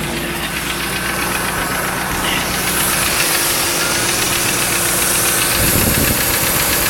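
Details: 1995 Lincoln Mark VIII LSC, Ford 4.6 DOHC modular V8, idling: a fast, light ticking of about four a second over a busy idle. The owner is unsure whether it is lash adjusters or piston slap or rod knock.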